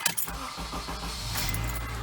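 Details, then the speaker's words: 2007 Honda CR-V with about 203,000 miles, after replacing a starter that ground and didn't retract: a short, clean crank with no grinding, then the engine catches and idles steadily. The new starter works properly. "perfect looking good sounds good your starter works great"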